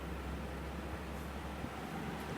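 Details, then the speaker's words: Dual-inverter air conditioner at startup, fan running before the compressor comes on; soft, even airflow hum with no rattles or ticking, very quiet; normal quiet fan operation. "the compressor doesn't come on right away but oh my god this thing is quiet"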